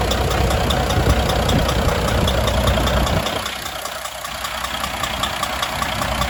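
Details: Volvo FH600 16-litre D16 diesel after repair of rust in cylinder six from moisture and a bent valve, first start after refilling antifreeze and oil; even steady idle clatter, no irregular knock or miss, sounds healthy after rebuild.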